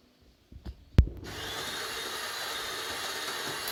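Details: Delonghi ECAM 25.452.B coffee machine: after a clunk, a loud steady harsh buzzing hiss starts and holds evenly while milk output stops; defect unknown, persisting despite two repairs.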